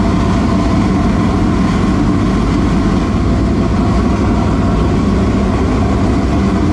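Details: V8 in a dirt late model race car after an adjustment down: loud, steady, deep roar at even speed, no misses, knocks or rattles; engine running clean and healthy.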